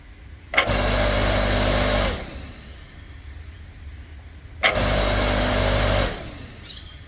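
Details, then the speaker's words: Ryobi 5-ton log splitter, about 6 years old, after replacing its CBB60 30µF run capacitor: motor starts instantly with a steady even hum, runs briefly and spins down cleanly; the start problem is fixed. "so it's turning on instantly it's doing what the capacitor is meant to do and providing that um push that the mot needs to start"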